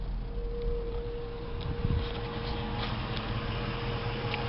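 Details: 2004 Jeep Grand Cherokee V8 at idle: a thin, steady whine above the rumbling idle without changing pitch; owner suspects the fuel pump, source unconfirmed.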